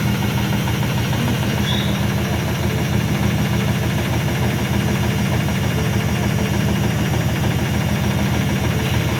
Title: IFB WASHING MACHINE MAKING VERY LOUD NOISE WHILE SPIN CYCLE